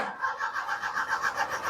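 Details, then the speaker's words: Perodua Viva engine cranking on a jump start after a weak battery: the starter turns steadily at about six even pulses a second but never fires. The MIL light does not come on and the ECU has been replaced twice with no change. "Kita start kereta tidak boleh hidup."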